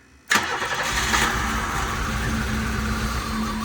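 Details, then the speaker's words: 1990 Pontiac 6000 SE AWD that sat 20+ years, cranked while fuel injectors were smacked until a few started working, with new injectors planned. It catches and runs uneven and lumpy with a wavering idle: rough running from stuck injectors. "So, I ended up cranking it, smacking on some fuel injectors, got a few of them to start working. Now, it kind of runs."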